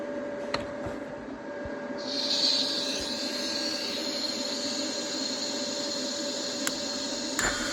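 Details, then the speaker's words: Broken cast iron block plane, TIG-welded with Easy Weld no-preheat filler: after the welding hiss stops, a few sharp ticks from the cooling cast iron after much heat input; welder suspects it cracked. "Yeah, if you couldn't hear that, I put a lot of heat into that. You could hear that cracking. I may have cracked something there."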